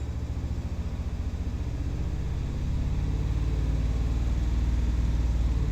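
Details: 5.7 Hemi V8: low rumble picks up slightly with light throttle, its beat turning uneven and stumbling as cylinder six starts logging misfires; idle was steadier after the cylinder was reactivated.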